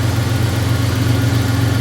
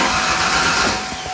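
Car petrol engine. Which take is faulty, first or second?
second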